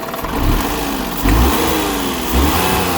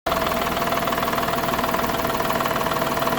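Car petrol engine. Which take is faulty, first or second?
second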